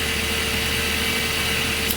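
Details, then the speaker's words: 2008 Mazda 3, nearly 200,000 km, in neutral after replacing the serpentine/drive and AC belts for belt-area noise: quiet even idle, soft steady hum, no squeal or chirp; the noise is gone. "the noise is gone that's awesome"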